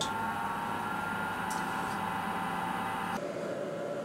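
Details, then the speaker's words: Heater blower motor after swapping stock bearings for Japanese EZO 625Z (5x16x5 mm) bearings: soft steady whir, no rattle or pulsing vibration; much quieter than before, annoying vibration noise gone. "so it would appear that taking out the bearings that came with it throwing him in the trash and replacing them with much better japanese bearings has made it a lot quieter you know it just seems like a fine run in a box it's no go that annoying error noise the vibration"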